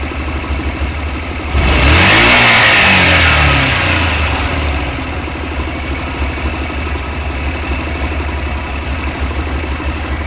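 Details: Honda Varadero 125 engine during a spell of normal running: even idle, one blip, smooth knock-free return; an intermittent random metallic knock below 5000 rpm is absent here.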